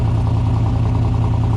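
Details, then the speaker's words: Fox-body Mustang with turbo 6.0 LS V8, still untuned, after reassembly with throttle body refitted: steady, even, quiet low idle with 50 psi oil pressure; slight lifter noise only at startup then gone; normal idle. "it idles. Still got 50 pounds oil pressure, so. Nice. It's like the lifter's kind of like a little bit of noise until it starts and then it goes away. Super quiet though, compared."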